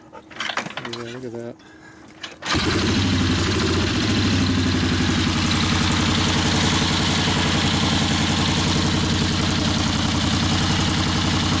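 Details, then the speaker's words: 1964 Harley XL 900 Ironhead Sportster, restarted: lumpy, lopsided thump about three and a half beats a second, no front power; one exhaust pipe still cold, still running on one cylinder only. "okay so that means we're still not running on that cylinder"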